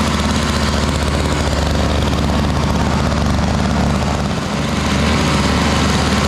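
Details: Toro Powerlite single-stage snowblower, 98cc two-stroke, model 381182, just started cold: fast buzzy drone that dips briefly then picks back up; still needs warm-up time but runs fairly steadily.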